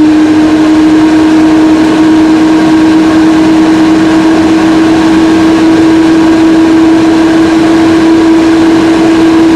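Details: Mac Pro recorded with the camera inside the case: loud, steady airplane-like fan roar with a strong constant hum, unchanged over ten seconds; fans running at full speed.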